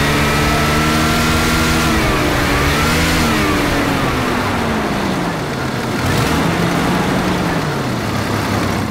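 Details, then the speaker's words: 1990 Jeep Cherokee XJ Renix 4.0 revving after loose flex plate bolts were tightened, which cured a bad knock: pitch rises and falls cleanly with no bottom-end knock; healthy revving after repair. "X um sounding a hell of a lot better now that Flex Plate's bolted up"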